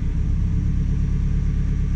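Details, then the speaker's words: 2014 Hyundai Elantra with P0304 misfire code and low-voltage faults at idle, scan tool actuation test disabling cylinder 2 injector: deep shaking idle with a missing beat, much rougher than before. "let's disable injector 2 yeah much"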